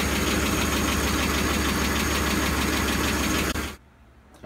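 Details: Ford 5.4L 3-valve engine, constant sharp tapping about four per second at idle after startup tensioner rattle fades; failed roller follower/lash adjuster, engine heavily sludged with some broken guides found on teardown.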